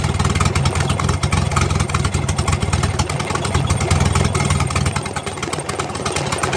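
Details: Turbocharged engine after an exhaust leak repair, idling: steady low rumble with no ticking or chuffing from the exhaust side; sealed and healthy.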